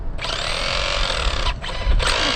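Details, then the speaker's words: Losi XXX-SCT RC truck run on 3-cell, drivetrain grinding as motor spins up in short bursts after earlier damage; owner suspects spur gear, fears the nylon idler gear, not yet inspected. "Grinding away, you can hear it when I... Lovely. I really hope it's not the idler, because it's a nylon idler."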